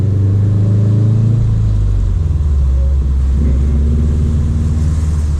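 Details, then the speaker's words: Subaru WRX STI, first drive after winter storage on old fuel, manual, cold and not yet in boost; deep even burble at light throttle, steady low rumble, no knocks or misses, normal running. "oh i do miss this sound oh yeah we're gonna get the car wet but it seems to be running all right"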